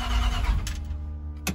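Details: 5.7 engine started after swapping in a Transdapt oil filter adapter to cure oil leak and pressure problem; catches quickly, smooth steady low idle, no knocking or stumbling, filter dry; normal start and idle.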